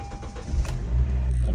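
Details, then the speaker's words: 2012 Honda Civic, no dashboard power and no start, with jump booster and test wire bypassing suspected shorted fuse: short crank catching straight into steady low idle; normal start. "and then I'm gonna put a key see now it's making a sound okay started"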